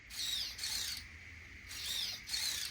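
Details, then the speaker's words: Traxxas Bandit 1/10 scale RWD RC car, about four days after salt-water beach flooding, bench test: steering servo gives high, raspy, labored gear whine in short bursts as it sweeps; servo strained but working, owner expects to replace it soon. "and as you can hear the servo is not happy but it's working so I'll probably have to replace that very soon as well"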